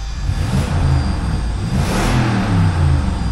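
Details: 2006 Lexus GX470 V8, 146,000 miles, rusted with bad transmission: smooth revs rising and falling cleanly with no knocks, ticks or misfires; a healthy-sounding engine.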